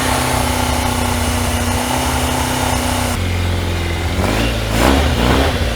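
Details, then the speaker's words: 1989 Yamaha FZR600 Genesis four-cylinder, unstarted for over 4 years, running after spark plugs fitted and coolant refill and bleed: smooth steady idle, revs rise and fall cleanly without stumbling or misfire. Runs much better, healthy. "So we did start it up, runs much better."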